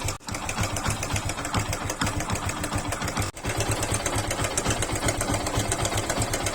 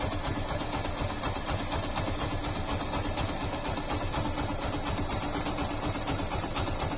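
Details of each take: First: Yamaha FZ/Fazer single-cylinder motorcycle idling with a fast, busy sewing-machine clatter over the low engine thump; timing chain rattle, fixed by replacing the timing chain tensioner. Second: Yamaha FZ/Fazer motorcycle engine idles with a steady, even beat and no timing chain rattle after timing chain tensioner replacement; normal idle.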